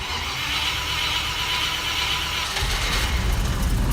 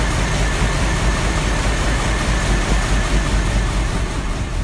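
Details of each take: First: Cold start, petrol V8, choke out, in park: after hissy cranking it catches and stumbles on about 2 cylinders, then 6 or 7, then all 8, with a slightly squeaky belt. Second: Petrol V8 idling evenly with a steady deep burble after a cold start, choke out, slightly squeaky belt; normal idle.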